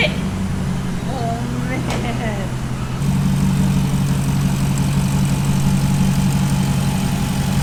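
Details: SRT 6.4L Hemi V8 swapped into a Jeep Wrangler JLU Rubicon, first-ever start in an echoing closed shop: a quick blip, then a deep, strong, even idle; it runs clean and healthy.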